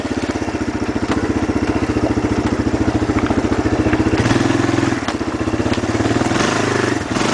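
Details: 2001 Kawasaki Lakota Sport ATV idling: steady clatter of about three ticks a second over the single-cylinder note, a snapping sound returning after adjustment; the owner had first assumed a loose chain but found it set too tight.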